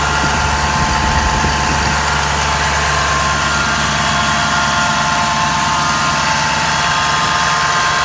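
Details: Stock 2011 Ford F250 6.7 Powerstroke diesel, about 124k miles, idling with a steady high-pitched whine from the engine. It starts immediately on engine start, varies with RPM and is louder when revved; the cause was a bad alternator.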